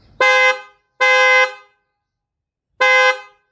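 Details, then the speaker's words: Kia Sportage 4th generation dual-tone horn, bumper removed: three loud half-second honks, full and rich with low and high notes blended; both low- and high-pitch horns working normally, louder, richer and more balanced. "When both the horns are working together, the horn sounds much louder, richer, and more balanced."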